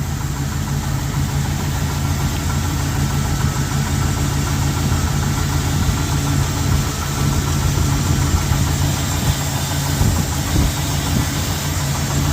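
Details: 1990 Jeep Grand Wagoneer, carburetor now fed by a J10 fuel pump after stalling and bucking apparently traced to the weak original pump: steady, even low rumble with no misses, surges or stumbles; idling smoothly and cleanly.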